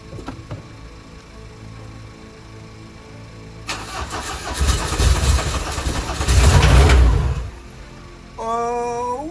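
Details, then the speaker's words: Peugeot 205 on first start after an engine swap, replacing a block whose camshaft broke. The starter cranks, the engine fires and surges for a few seconds, then fades and dies instead of holding idle: stalling at idle. "bon ça tient pas le ralenti mais on s'en bat les couilles"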